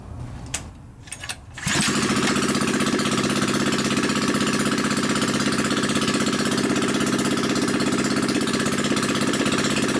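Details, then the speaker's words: New Predator 79cc single-cylinder engine, tank and muffler removed, drag pipe fitted for an RCF micro minibike; after a few clicks it fires and holds a loud, raw, evenly paced exhaust note with no misses, running healthy. "it warm up a little bit. This engine feels solid, sounds good."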